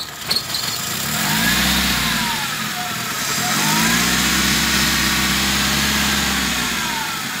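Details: 2008 Suzuki Grand Nomade J20A petrol engine with unstable idle: idle speed surges upward twice as petrol is applied near the intake, indicating an air leak in the intake manifold.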